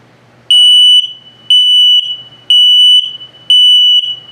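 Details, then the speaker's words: 2022 Sunset Trail 272BH RV LP gas/carbon monoxide detector on its test feature: the same shrill tone as the gas alarms but slow, about one half-second beep per second; the low battery alarm. "Also, if it beeps the same tone that it did for carbon monoxide or LP gas, but very slowly, it's telling you your battery's low."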